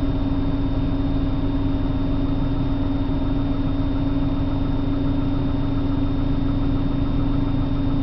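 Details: 1997 328i on a morning cold start, idling rough with a low, slightly uneven throb and a steady hum over it; cause not identified.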